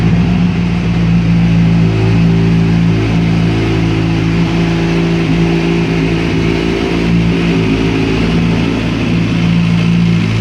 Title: Engine Noise Kawasaki Ninja ZX6R 2005